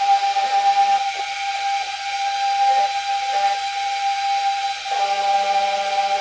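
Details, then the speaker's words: Relatively new whoop on foam: a thin, steady high buzz with a faint hiss holding one pitch. At just the right motor frequency a resonance runs through the entire frame and makes it buzz. "turns out if the motor spin at just the right frequency you can get a resonance going through the entire frame which just makes the whole frame buzz"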